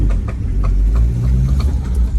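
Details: Land Rover Freelander pulling away from a junction on full steering lock, front right: sharp clicks about three times a second over low engine rumble; caused by a worn driveshaft CV joint; right IRD bearing also had play and an oil leak.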